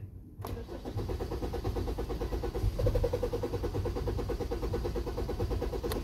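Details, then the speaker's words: Car that stalled abruptly, no stored codes: starter cranks at an even, quick pace for about six seconds without catching; no fuel pressure, and the in-tank fuel pump was found bad. "Now it's acting like fuel pressure, but the way it stalled, it just cut off. Usually, if the fuel if it's lack of fuel pressure, the fuel pump, they'll kind of sputter and die out slowly as the pressure drops."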